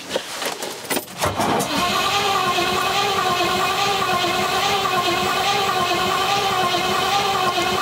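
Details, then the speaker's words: Rover P6 with 4.6 V8, new battery plus jump pack boosting: strong, even cranking whirr at about three beats a second with only a couple of tiny coughs, never firing into running; cause unknown. "oh why is it not firing we had a couple of little coughs there"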